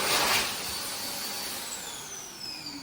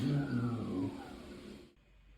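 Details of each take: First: Healthy U2 hand dryer built in 2019, recorded in 2022 after over 2 years in service. High motor whine sweeps smoothly down in pitch as it coasts to a stop, even and rattle-free. Normal run and shutdown. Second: Hand dryer, Euro model made September 2021, in mid-traffic toilet, filmed November 2024: rough high motor whine sinking steadily in pitch as it spins down to silence; motor sounds worn and noisy.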